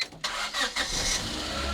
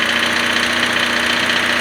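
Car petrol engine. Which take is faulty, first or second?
second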